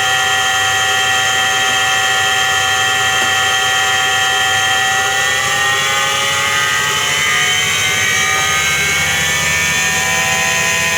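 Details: Washing machine drum spinning up with a loud steady roar and a rising high hum, the typical drone of a worn drum bearing.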